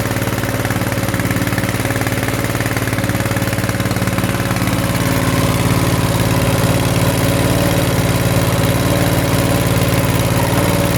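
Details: Coleman KT196 go-kart single-cylinder after oil change from grey oil to Castrol 10W-30, choke off; steady, even putter at idle, no knocks or misses.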